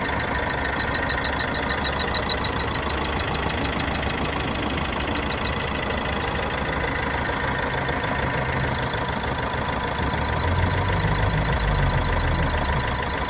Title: corsa my 2013 1.3cdti strange noise